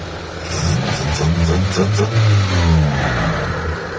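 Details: Mitsubishi Lancer 4G13 carbureted, after timing the distributor, reconnecting vacuum hoses (vacuum reading 20, normal) and tuning the carb: engine picks up cleanly and settles back, revs rising and falling smoothly without misfire or hesitation; normal revving.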